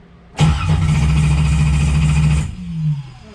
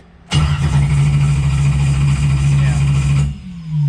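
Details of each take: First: Normal cranking of a naturally aspirated LS 6.0 V8 with BTR Stage 5 cam and PRC 220cc heads in a 1995 Camaro, after replacing a popped ignition fuse (10A to 15A), ignition voltage 17.1; even steady cranking, no start expected, checking RPM signal. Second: 1995 Camaro with a naturally aspirated LS 6.0 (BTR Stage 5 cam, PRC 220cc heads) after a race: steady starter churn for about three seconds, cranks but never fires. Tach shows zero RPM signal, later traced to a blown ignition fuse.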